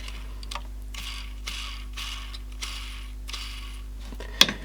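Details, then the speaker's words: Samsung RCD1300 boombox: light ratcheting ticks as the small gear train runs back and forth, moving fairly freely, slightly imperfect when changing direction. "It runs pretty good now. I think there's still, it's just when I'm changing direction. That's pretty free. It might be a little imperfect, but"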